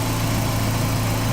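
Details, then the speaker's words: 2006 Dodge Stratus idling after water pump replacement, though camshaft washers were left out during reassembly: steady, even idle, smooth low hum, no knocks or ticks; sounds fine so far. "the camshaft on camshafts police right now is sounding good and if there's an issue I know exactly what it is"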